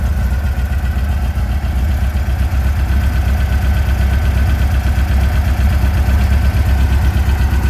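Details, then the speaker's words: 1957 VW Oval ragtop flat-four on Weber carbs, after fixing a leak and the idle issue: a low, steady chuffing idle about four beats a second, with no stumbles. Healthy idle. "So we corrected the leak, we corrected the issue, the idle issue, and it's working really, really well."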